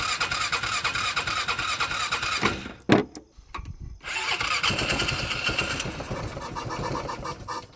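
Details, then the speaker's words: Newly bought used UTV with water found in the filter: cranks, catches after a brief stumble, settles to steady quick idle with no misses or knocks, no smoke; healthy running engine. "Sounds healthy to me. I didn't see any smoke."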